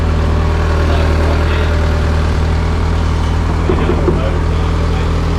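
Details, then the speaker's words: Mazda Miata barn find being brought back to life: a steady, low, even idle with a smooth, unbroken note and no knocks or misses. It reportedly pumped 30 pounds while cranking on the starter, and the engine is judged healthy. "oh I can tell you when when you were cranking it with the starter it was pumping 30 pounds yeah I think it's healthy"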